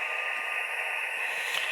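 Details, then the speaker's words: Yaesu FT-817ND ham radio on a random wire antenna while camping, with fans and LED light switched off: steady loud hiss and static, no signals breaking through; far noisier than the 20-foot pole antenna. "So that's just how much noise the random wire is getting compared to my 20-foot pole."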